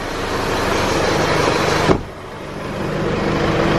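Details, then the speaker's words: Isuzu D-Max diesel tow vehicle just started after a DIY service and fuel system priming: brief higher speed, dips, then settles to an even idle with no hunting or stumble; no leaks, running smoother than before, normal idle. "No oil leaks. Sounds like it's running a whole lot smoother now, which is nice."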